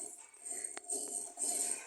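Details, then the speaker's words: Washing machine motor being turned: a strong, dry, jingling metallic rattle that swells and fades, from a badly worn bearing; the bearings must be replaced. "olha aqui Esse barulho está forte Olha aí imagina pra máquina lavar com barulho desse a gente é obrigado trocar o rolamento"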